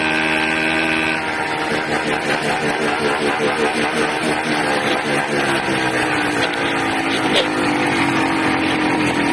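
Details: 80cc two-stroke buzzes loud and uneven, revs surging and wandering without settling; erratic rough running, owner suspects an intake manifold air leak at the carburetor.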